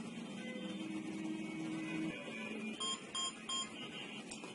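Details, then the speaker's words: Three short, evenly spaced high beeps over a quiet room 5 to 8 seconds after pressing the host's CDDE button twice and the smoke detector's button, confirming the smoke detector has paired with the smart home host device. "We wait for 5 to 8 seconds to hear 3 beeps. This indicates that the adding has been successful."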